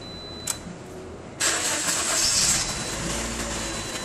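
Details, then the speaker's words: 2009 Toyota Corolla, 167,000 miles, check engine light on: brief uneven crank before catching, then a slightly rough, unsteady idle; misfire on cylinders one and two; stalls at stops, smoother at higher rpm. "go start it starts okay not quite sure like the way it cranks over though"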